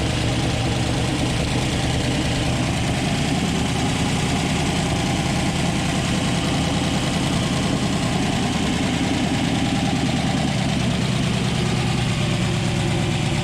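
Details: 1962 Ford F-350 V8, off the road 24 years, engine rebuilt: low, steady idle rumble with slightly uneven lumpy beat, no speed changes; rough idle, cause unknown.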